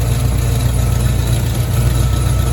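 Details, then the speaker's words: 1983 Chevy Silverado V8 after a deer strike, hot at idle: faint uneven buzz as the hot exhaust downpipe rattles against the transmission, happening only when hot; an exhaust leak is also present. "oh yep right in the center of the screen the downpipe is touching the transmission and it only does it when it gets hot"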